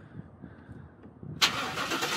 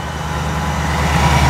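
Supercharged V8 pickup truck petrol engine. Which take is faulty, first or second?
second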